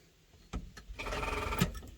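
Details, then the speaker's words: 1970s Dodge Adventurer one-ton crew cab dually 4x4, not run in 10 years: brief labored dragging crank that never catches; slow cranking, battery suspected too weak despite charging, jumper cables planned. "Oh. That's not a healthy noise. Does our battery not have enough juice to do its duty?"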